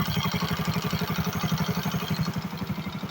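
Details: 70cc motorcycle after timing-chain noise repair, idling: an even single-cylinder putter of about four beats a second with no chain rattle; normal idle.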